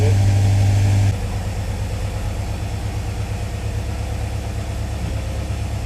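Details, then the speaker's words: 1957 Chevy Bel Air crate engine after a finished restoration, started cold on the choke: a brief higher note settles into a fast, steady high idle with an even beat while warming. Healthy cold high idle. "We're going to fire it up. Fire's right up. It's got the choke there to high idle. Let it warm"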